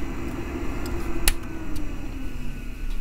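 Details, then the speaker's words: 1989 Macintosh SE/30 with its failing power supply, before replacement: low hum with a faint buzz and an odd click. The screen does not come on or only partially does, and the 5 V rail at the floppy connector fluctuates. "so here is our macintosh SC 30 which has a problem you can hear that it's making a very strange noise also you can see that the screen is not coming on or at least partially does it has some serious problem"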